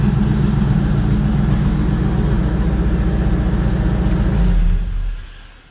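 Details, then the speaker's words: Engine on open exhaust gives a loud, lumpy, deep, steady idle that settles down before shutoff with no misfire; it idles up at start, then drops toward a target idle of about 700 rpm; it previously had low-voltage running issues. "idles up, fires right up by itself, and then after it sees a little bit of temperature or sees that it's run for a few seconds, it starts to turn the idle down. It'll keep doing that until it gets to the target idle"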